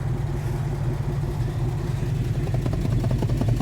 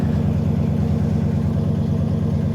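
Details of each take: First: 1980 Dodge W200 with swapped Magnum 5.9 V8 and a used carburetor, warm idle: uneven, loping beat with dropouts; dead cylinder on the passenger side, exhaust smells of fuel and is very rich. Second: Ford Econoline van with fuel-injected 302 V8, cold start, single glass pack and dual tailpipes: deep even burble settling to a steady low idle with no misses or ticks, then a clean rev; normal idle.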